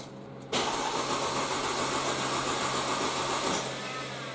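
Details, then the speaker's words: Mercedes C230 that cranks but won't start, tried after wiggling the pump connector: starter spins the engine at about 220 beats a minute but it never catches; the fuel pump is dead. "sounds like our fuel pump is dead all right so every indication is that the fuel pump's gone bad"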